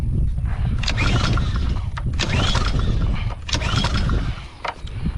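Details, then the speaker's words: Honda GCV engine on pressure washer, pull-cord cranking after fuel valve opened: repeated chuffing bursts but never catches; spark tested good, so fuel delivery problem between tank, valve and carburetor; crank no start. "crank no start situation so right now we're having a problem with fuel delivery"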